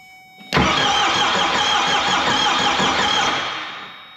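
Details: 4BT Cummins diesel swapped into a Ford Bronco, first start attempt with a little fuel given: it cranks, catches briefly, then stumbles and dies. Fuel is spraying from loose injector lines at the injector pump, with air in the fuel system.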